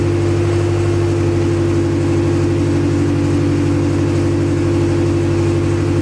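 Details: Acura Integra first start after crank, no-start troubleshooting: fires and holds a steady even beat with a firm low drone, no misses or knocks; run only briefly, no coolant in system.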